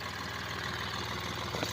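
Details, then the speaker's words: Hyundai Xcent diesel with knocking, hard starting, black smoke and low pickup: quiet idle with even, rapid tapping clatter over the rumble; injector nozzles found jammed, cleaned. "यह आपके सामने जैसे start करते बिल्कुल knocking sound हो रही है"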